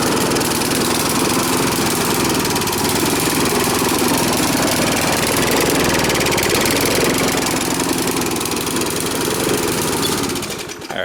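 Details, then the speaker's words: Briggs & Stratton push mower, air cleaner off, overfilled with oil: loud uneven lumpy single-cylinder chug about four beats a second, worsening when the intake is covered; running rich, too much fuel. "But you notice as I was covering the air cleaner hole, the intake of the carb, it was actually getting worse. So that was kind of telling you that it's getting too much fuel."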